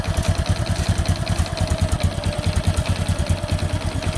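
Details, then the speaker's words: Honda Supra X 125 single before repair, rough engine sound; heavily worn piston rings let oil into the combustion chamber, bike smokes. Lumpy idle pulsing irregularly about 1.5 beats a second, won't settle; rough unstable idle. "Oke Guys di sini ada suara kasar pada pada motor ini"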